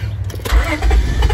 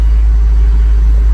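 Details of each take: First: 1999 Honda Odyssey, hot, old main relay plugged back in: starter cranks in a steady slow rhythm but the engine never catches, no relay click heard; failing main relay not powering the fuel pump, new relay fixes it. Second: 1999 Honda Odyssey after fuel pump replacement, previously stuttering at idle: low, even rumble with no stumble or surge; clean, steady idle, and it accelerates better.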